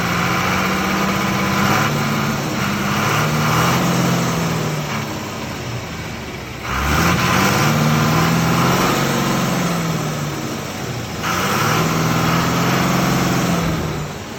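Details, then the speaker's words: Refabricated Ashok Leyland BS3 truck with H-series diesel engine: heavy diesel clatter rising and falling through three throttle blips, pitch climbing evenly with RPM, no knocks or rattles. "इस तरह की आवाज़ BS3 के H series engine Ashok Leyland से आ रही है।"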